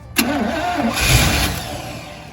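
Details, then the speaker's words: 1986 Sierra truck with no-fire problem, spark tester fitted, fuel poured in to prime: starter spins briefly, then a short rough sputter flares and fades; tries to fire on primed fuel but won't keep running. "All right, guys. She's wanting to run. She is wanting to run."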